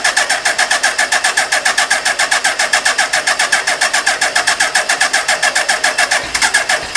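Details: Suzuki GSX1300R Hayabusa, 9,007 km, compression tested: starter chugging about two beats a second, brief catch but never runs; only first firing, no start due to faulty fuel pump.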